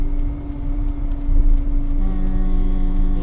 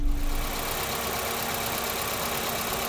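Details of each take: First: Volvo 960 electric cooling fan before repair. Light regular ticking about three times a second over the fan hum. A workshop found worn bushings inside the fan motor, letting the fan wobble and spin unevenly. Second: Volvo 960 electric cooling fan after repair: the motor was serviced and worn bushings replaced with bearings. Steady, even airflow hum with no wobble, rattle or scraping; now runs much smoother.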